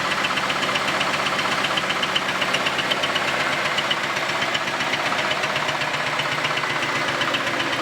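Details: Camaro V8 first run after a quick weld of the exhaust Y-pipe, running terribly: a steady, fast metallic knock of about four per second over a rough idle; cause undetermined.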